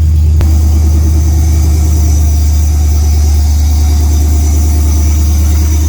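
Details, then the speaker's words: LS-swapped OBS truck V8 on a cold start, after first start where a misfire was being diagnosed: deep even rumble at steady fast cold idle, firing smooth with no skips; sounds really good for a cold start. "let's see what happens actually that sounds really good for a cold start"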